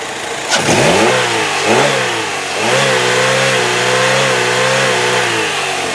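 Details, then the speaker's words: 2005 Pontiac Sunfire 2.2 L four-cylinder, revved to the rev limiter: clean rise and fall with no knocks or valve-train ticking, no smoke; normal revving. "yep brought it right up to the rev limiter and as you can hear no knocks no valve train noise nothing so this is a very very good running car"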